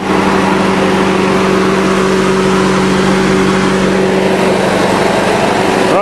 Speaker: nice and smooth can't fall off the barrel because it's got those legs on it